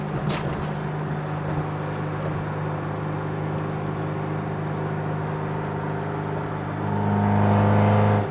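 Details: Acura RSX engine at idle: deep regular knock about three times a second, louder with a short rev; owner suspects a spun rod bearing or jumped timing, unconfirmed.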